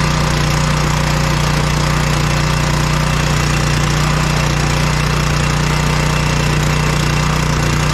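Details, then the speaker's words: Powerstroke generator that came in crank no start, after carburetor cleaning, no bowl gasket leaks: loud, steady, even drone with a fast regular beat held constant by the governor; runs cleanly and normally. "runs awesome so we'll just put her back together put the air cleaner back on fire up and let her run"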